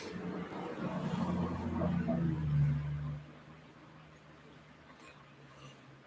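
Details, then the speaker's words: HP laptop hard drive, sat unused, tested in a docking station: low hum for about three seconds, then drops away with no spin-up whine, drive not warming or coming up to speed; owner fears it seized from sitting, or the dock may be faulty. "i hope that this drive didn't seize up from sitting it's not even getting warm or anything"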